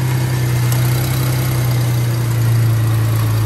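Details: Car that sat about a month with a dead battery, jump-started with an Autowit SuperCap 2 super-capacitor jump starter: a steady, even low hum with no knocks or misses. It has settled into a smooth, healthy idle.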